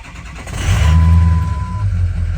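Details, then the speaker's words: Ford 6.0L diesel (Excursion/Super Duty) started right after replacing both the upper and lower fuel filters. A deep rumble catches quickly, easier than usual, and settles to a steady low idle, though a warning light stays on. A clean, healthy start. "oh she fired up a lot easier than usual that light's still on maybe that'll turn off here in a little bit"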